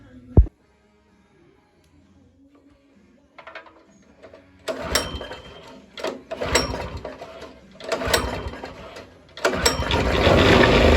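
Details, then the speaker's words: Yerf Dog go-kart engine with oil spraying from the spark plug hole: several pull-start bursts, then sharp pops and a short run on starting fluid before it dies. No fuel delivery to the carburetor; runs only on starting fluid. "Oh, stuff flying, smoke coming out, but there we go. We got a little bit of life."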